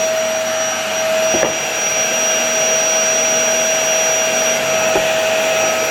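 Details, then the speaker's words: LG V-3340D vacuum cleaner after replacing its noisy motor with a new unit, reassembled with dust bag fitted: smooth even high-pitched whine, strong steady suction, no rattle, surging or smell; normal running. "Okay, I think it works very well. It doesn't stink. It has very good suction."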